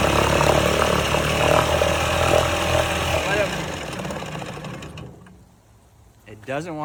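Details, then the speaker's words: 1969 Johnson Sea Horse 1.5 hp outboard on choke: pops unevenly, surging then fading until it dies near five seconds; sounds decent but won't hold an idle, adjustment planned. "idle. It like kind of sounds good, but I don't know why it's dying there."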